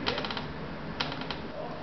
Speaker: Started to pull the door at a very slow speed. You can hear the creaking beginning at a very low frequency.